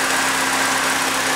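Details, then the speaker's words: Second-hand Triumph Dolomite 1300 engine just fitted to a Gentry MG TF Replica, first run, warmed up with most spilt oil burned off: steady, even idle with a smooth exhaust hum and no knocks or misses; a sweet, healthy exhaust note. "Well, let's see if we can just let you hear this nice exhaust note that she's got. Yeah, sweet."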